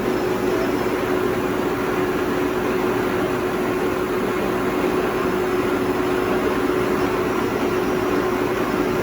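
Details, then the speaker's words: 2000 Toshiba BTD-110.R16 CNC horizontal boring mill, CAT 50 tooling, spindle running: steady even hum with one constant mid tone, no knocks or grinding; spindle runs smooth and healthy. "Let's tune in and hear the spindle run."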